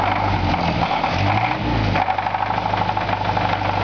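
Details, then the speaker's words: 1943 Ford military Jeep four-cylinder idling with a light, regular knock under a steady low rumble; rod knock suspected, though wrist pin or piston slap remain possible since the oil pan was not dropped. "Kind of got a little knock. Maybe wrist pin, we don't know."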